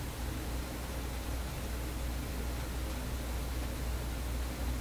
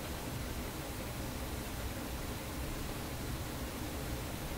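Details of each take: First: Vacuum tube PA amplifier, stepped up to around 350 at full volume: a low, steady mains hum with constant hiss; a new ground connection made no difference and the hum's source is still unknown. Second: Vacuum tube PA amplifier being chased for an unexplained hum; at full volume with no source connected only a faint, even hiss with no mains buzz; hum returns later when stepped up to around 350.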